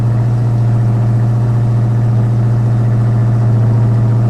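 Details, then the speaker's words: Ford Foxbody Mustang just after a new 255lph fuel pump and -6AN line install: steady deep burble held well above normal idle, likely because the throttle body screw was turned in while the old bad pump was fitted. "I think I had the throttle body turned up. She fired right up. I think I had the, when the bad fuel pump was in there, I had the screw on the throttle body turned in."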